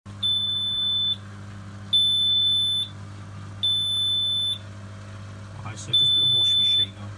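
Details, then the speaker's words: Miele W1 Classic washing machine F20 drain fault: four long high beeps about every two seconds over a low hum; debris in the drain filter stopped the pump impeller turning, cleared by cleaning the filter and freeing the impeller. "just to recap we had an f20 problem machine kept beeping not working"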